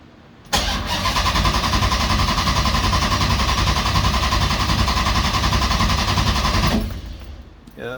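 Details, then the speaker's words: 6.1 HEMI V8 swap in a 1970 Coronet: starter cranks evenly at about three and a half beats a second for six seconds but never catches; ECU shows a red crank-sensor light because of a wrong crank-trigger setting. Crank no-start. "got nothing and that was a crank sensor again huh so i threw us a red light here on the crank sensor"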